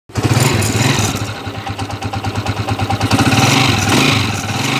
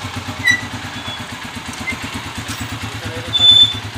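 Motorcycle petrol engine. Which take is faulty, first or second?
first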